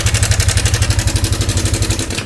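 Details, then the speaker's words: Yamaha Sniper 155 at 15,467 km, brought in not starting: fast, even clattering ticks ride over a lumpy idle, a loose metallic chatter from the top end. Cam chain tensioner failed (self-reset, spring detached), letting the chain slap. "Yan, tensioner gaming na yan mga boss."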